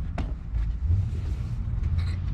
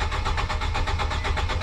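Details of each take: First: Nissan Sentra that shut off while driving, test light on fuel pump connector stays dark while cranking: low uneven cranking rumble that never catches; crank no start from blown fuel pump fuse. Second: Nissan Sentra that shut off while driving, after a fuel pump replacement and a new 15 A fuse in place of a broken one: the engine catches and settles into an even, steady idle with regular firing and no misses. The bad fuse was the cause.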